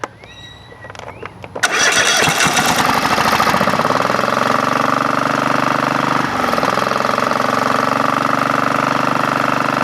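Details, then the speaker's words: Craftsman GT5000 lawn tractor engine after woodruff key replacement: cranks, catches and settles into a shaky idle with rough pulsing drone, heavy vibration; compression good, about 150 psi both cylinders, cause not found. "yay didn't break nothing yet let's see if we can turn on the the mower vibration power that Vibra could vibrate like that wrong"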